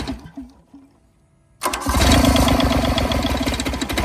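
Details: 1986 John Deere 330 diesel garden tractor, cold, no glow plugs, throttle low, one injector unbled: slow cranking chugs, then it catches hard into a loud, slightly lumpy idle despite the unbled injector.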